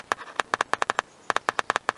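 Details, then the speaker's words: 1998 Ford Contour door speaker removed, 9-volt battery touched to its terminals: crisp, sharp pops on each contact as the cone responds cleanly; speaker works, fault lies in the wiring. "here's the first test I'm gonna hook up a 9-volt battery to the terminals of the speaker I know it's a good battery because I just took it out on my smoke detector hear that"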